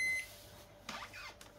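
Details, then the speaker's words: Rice cooker reported undercooking rice, showing error H01 even after keypad replaced and reset: one short high beep then near silence; H01 not keypad-related, pot temperature sensor fault suspected and being measured. "vẫn báo lỗi nhá. Vậy là H01 không liên quan gì đến phím nhé, phím mình đã thay mới rồi."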